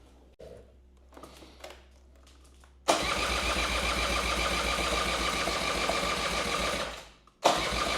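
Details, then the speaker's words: 1984 Honda Spree small two-stroke scooter restarted after sitting unused for years, carburetor bowl just refilled with fuel: it catches, sputters unevenly, dies and fires again; owner thinks fuel still working its way up, then runs. "oh oh we're getting a little sputtering so it's getting there I think it's just the fuel has to kind of work its way up in there"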